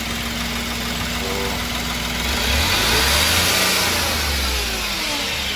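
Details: Ashok Leyland Dost diesel after replacing the crank sensor (old one caused misfire and wouldn't take full revs, scanner showed no code): engine revs up cleanly and settles back, pulling smoothly with no stumble or misfire; rattling gone.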